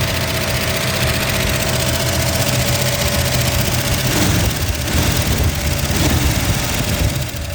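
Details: 1963 Ford Galaxie 500 convertible barn find, 289 V8, first start in 30 years: rough idle with fast, light ticking over the rumble. Valve train noise; owner hopes lifters are just stuck and may run automatic transmission fluid to free them.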